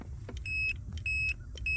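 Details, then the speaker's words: 2016 Subaru Outback with a key stuck in the ignition because the park position isn't detected. A continuity tester on the shifter microswitch gives three crisp, identical beeps, one per press: the switch closes reliably every time, as it should. "See, it happens every time. It's consistent. That is how this one should work."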